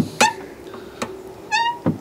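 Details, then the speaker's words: Fiat 500 1.2 clutch pedal squeak. Short squeaky chirps with a rising whistle as the pedal moves; greasing didn't stop it, so the owner suspects the clutch slave cylinder and plans to replace it. "I'm figured out I think it's this the slave cylinder so and I believe I've got one of these so I'm going to replace it"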